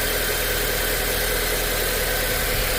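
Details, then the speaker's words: 2008 Audi A4 2.0T with rattle/tapping, codes P119A and P2279, after new PCV: steady even idle, smooth low hum, much quieter with no tapping; metal debris means camshaft or engine may still need replacing. "So how quiet it is now. It's definitely a lot quieter."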